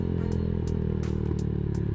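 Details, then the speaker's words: Z200 motorcycle with APIDO racing CDI and 120 main jet, riding: steady drone broken by sharp exhaust pops about every third of a second; backfiring, owner suspects from the stronger spark/combustion. "Yun nga lang, may consequence kasi medyo siya, medyo ma-backfire siya, no? Baka dahil lumakas talaga yung sunog."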